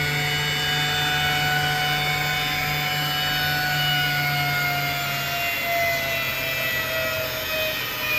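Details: Alup SOLO 15 inverter-drive 15 kW screw compressor, permanent-magnet motor at 150 Hz, filling receivers from 0 bar under load: steady even whir, clean high motor tone and airy hiss, no knocks or rattles; healthy.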